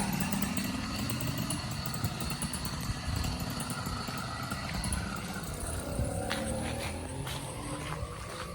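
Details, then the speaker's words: 80cc two-stroke motorized bicycle kit after cylinder and intake porting, piston skirting and a new exhaust gasket, ridden up a hill: buzzy, throaty note revving freely and higher, pulling steadily with no leak puffing. Runs healthy. "I mean, even with the little bit of work, it's definitely a little throatier, and it definitely revs up higher."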